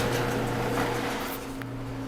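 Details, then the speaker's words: Whirlpool dryer after replacing the broken drum support rollers, drum spun as a test before reassembly: a quiet, even motor hum and steady low drone with no thumping or scraping. Normal, smooth drum rotation. "It's good to get rid of that noise. Spinning smoothly now. Looking good."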